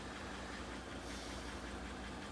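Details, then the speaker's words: A 2014 Silverado 5.3 V8 idles unevenly with a stumbling beat and a pretty heavy tick over the engine note, check engine light flashing: a misfire. "Um, check engine lights flashing. Definitely misfiring. You can hear a little bit of a tick in there or a pretty heavy tick in there."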